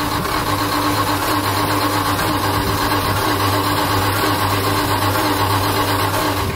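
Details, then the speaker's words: 1978 Dodge W100 Power Wagon V8 before long tube header install: steady idle with a raspy, puffing edge over the rumble from the old leaking exhaust manifolds. "All right, we got her going. Hear that old exhaust is just leaking nasty, so we're gonna get these long tubes on, have it not only sounding good but looking good too."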